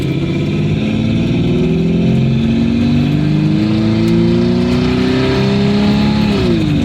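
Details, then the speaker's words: Cruising at 45 mph on the highway, recorded in the cabin without headliner or rear hatch trim. The exhaust was repaired with V-band clamps, a braced tailpipe and a gutted clogged cat. An even drone climbs with speed and drops at a gear change, with no rasp or leak: a normal exhaust note. "this is well 45 mile an hour going down the highway here and for not having kind of my interior i figured it's not that bad sounding you can definitely hear it"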